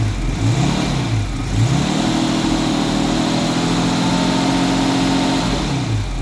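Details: 1989 Jaguar XJS 5.3 V12, restarted after cutting out while driving (owner suspected ECU not firing injectors); revs swing up and down, hold high then drop, surging when throttle held just off idle, sounds terrible though seemingly on all 12 cylinders; cause not yet found.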